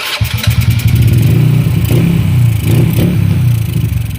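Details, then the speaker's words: Honda Wave 100 after top overhaul with new piston and rings, carburetor air passage clogged: uneven, stumbling single-cylinder beat with irregular pops and no steady idle; misfire from air starvation, earlier engine knock now gone. "Medyo wala pa lang sa timing kasi yung carburetor niya, yung pinaka-air niya nabarahan. So hindi ko free flow yung air."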